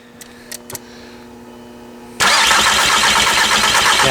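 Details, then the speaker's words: MK4 VW TDI diesel no-start: loud steady starter cranking that never catches, mist and puffing from around an injector base suggesting compression loss; bad injector found, though electrical corrosion was ultimately the cause. "Oh, before it was poof, poof, poof from around the base of the injector. Maybe for show you guys, I'm losing some compression."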